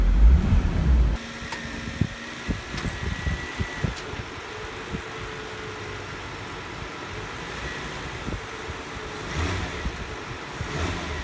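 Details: 2002 Nissan Maxima GLE, in drive with brakes on, given a little gas: hard thump then knocks and droning body resonance as the broken front electric engine mount bottoms out and bangs.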